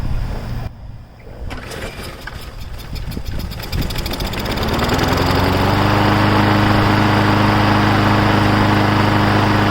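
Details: Briggs & Stratton Brute 6.75 self-propelled 22-inch bagging mower being revived: cranks and catches in about four seconds, then settles into a steady, even engine note with a clean, regular firing beat; normal running.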